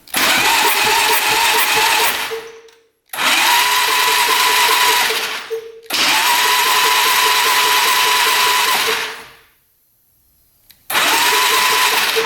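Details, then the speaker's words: 1997 Polaris Magnum 425 6x6 ATV that wouldn't run, electric-start cranking in four quick, steady spins without the dragging beat of a healthy single; doesn't seem to have much compression. Gear indicator showed reverse in neutral. "yeah it's turning over it doesn't seem like it has much compression we're just lucky it turns over though at this point"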